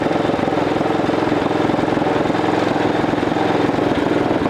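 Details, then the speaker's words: 1941 Caterpillar dozer's small petrol pony motor, after sitting years: steady even beat with no misses or knocks; runs smoothly, though flywheel couldn't engage the main engine. "Okay, we got the pony motor running. Couldn't quite get the flywheel in gear to engage the big motor."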